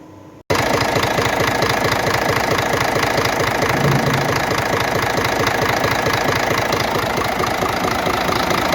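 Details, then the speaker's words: Scania diesel idling with the valve cover off: a sharp, fairly regular knock about twice a second. The plan is to disconnect the unit injectors one at a time to test; if the knock persists, the camshaft is suspected. "если это форсунка значит при отключении насос форсунки стук прекратится если нет значит полезу распредвал"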